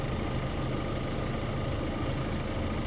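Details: Vauxhall Zafira A with a no-heat complaint, idling during a head gasket block test that shows no combustion gas: steady, even low idle hum with no knocks or misses, engine healthy.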